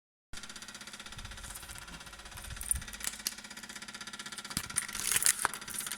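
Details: BMW 335i: a fast, even mechanical ticking rattle, roughly ten beats a second, continuing after the engine is switched off.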